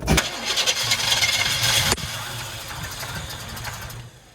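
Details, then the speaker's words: 1977 Chevy K10 truck that sat 14 years: it cranks and catches with a sharp burst, then runs rough and uneven for a few seconds before dying, with stinky exhaust. Ignition timing still needs sorting, suspected. "It's running. Yeah. It's stinky. We just got to figure out the timing on it."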